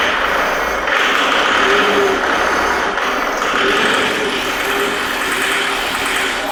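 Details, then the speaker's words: 2008 Jaguar X-Type 2.0 diesel at startup, running harsh and smoking: loud clatter with hissy metallic rattle that never smooths out; excessive fuel rail pressure, proven with a bypass test. "it's running like a pig it's noisy it's rattling and it's smoking so i'll go for the startup and you can witness it for yourself"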